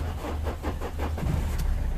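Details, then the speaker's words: 2005 Renault Modus 1.5 dCi diesel that had a no-crank, no-start fault with a dead cluster and no communication with ECU, EPS and airbag modules. Brief rhythmic cranking, then it catches and settles into a steady low diesel rumble, starting and running normally. "he's running okay as you can seen that engine is running"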